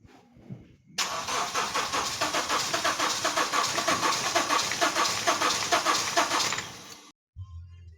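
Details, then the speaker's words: Honda Step Wagon R20 engine after repairing broken wires in the engine computer harness: the starter churns at an even, rapid beat for about six seconds and never catches; it cranks but still won't start. "Unfortunately, even after connecting the wires, this vehicle is not starting."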